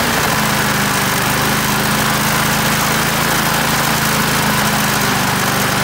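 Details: Australian-built Rover four-stroke mower after governor spring straightened: small single-cylinder engine holding a steady, even note with no misses, surging or rattles; sounds healthy.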